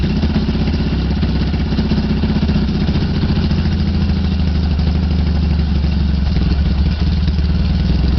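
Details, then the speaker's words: 1976-or-later Yamaha XS650 twin: a steady, lumpy idle whose beat dips and then recovers partway through. This happens as the sync screw between the linked carburettors is turned with a DIY 90-degree screwdriver. Idle speed changes during carb sync adjustment. "I am going to start the bike and you will hear the RPMs change as I manipulate that screw."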